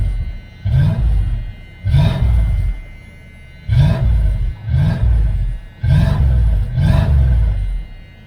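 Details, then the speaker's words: 1978 Dodge Aspen R/T V8 with newly installed exhaust, said not to leak: six clean revs rising and falling smoothly with a full, even rumble; healthy exhaust note, likened to a Chevelle. "Sounds really good. It actually sounds just like my Chevelle."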